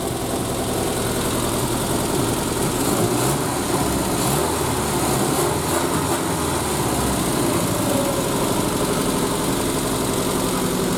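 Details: Triumph Spitfire first start after head gasket replacement, valve lash checked and carbs refitted; steady, even idle with a smooth low rumble and no knocks, misses or hunting; normal idle.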